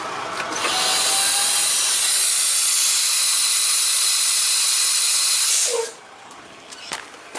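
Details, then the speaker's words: Kenworth T600 truck air brake system at about 50 psi: a loud, steady hiss of escaping air for about five seconds, then a sharp cutoff, venting from the brake valve exhaust port; owner suspects an air leak inside the hose. "from my experience what i found in that situation especially if it comes out the exhaust and it could be an air leak inside the hose or what but there's an exhaust port on that deal"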